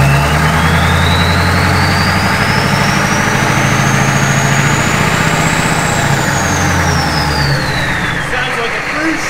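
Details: Humvee with swapped-in 6.5L turbo diesel and 4L80e 4-speed transmission, first start after fuel priming; deep, steady diesel idle with slowly rising turbo whistle, no knocks or stumbles; healthy.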